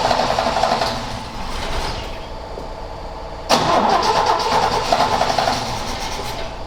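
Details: Long-parked Ford XA Falcon on a hot coil, float bowl found empty, distributor cap suspect: engine catches, sags, surges once, then chops and fades as the carb bowl runs dry from fuel starvation.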